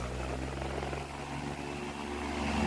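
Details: Electric fan after replacing the faulty running capacitor, back cover off, running at speed 3; even airy whoosh over steady low motor hum, no rubbing or wobble. Normal fan run.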